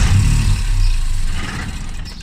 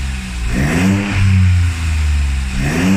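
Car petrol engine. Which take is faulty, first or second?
first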